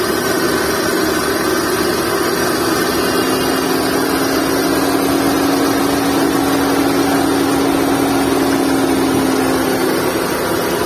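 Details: Skoda Fabia engine idling with a steady, droning whine from a worn V-belt (drive belt) and tensioner bearing.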